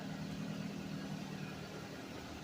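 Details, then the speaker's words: Suzuki Vitara that sat 13 years, fuel fed from a bucket, gas smelling rotten: steady, even idle with a low throbbing hum and no knocks or misses; engine running smoothly after the long layup. "yes, it does run. And will it run? Absolutely."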